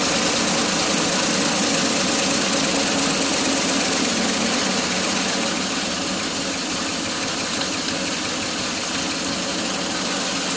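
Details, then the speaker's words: 1981 Ford F150 flareside, first start after sitting since 2007. The old V8 idles with a hissy, uneven beat and occasional stumbles: a misfire at idle. Ignition timing is also possibly off; plugs and an oil change are planned. "wow awesome that's good enough for me to decide to change the oil maybe throw some spark plugs at it because it does have a miss"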